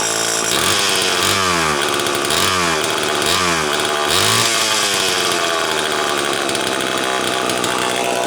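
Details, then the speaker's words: Homelite XL-12 chainsaw on a test run, which a shop blamed on low compression: it idles, but each of four throttle blips surges, then falls off and cuts out despite great spark, an ignition misfire. "that's not carburetor related that's ignition related I can tell you that right now interestingly enough it has good it has great spark actually"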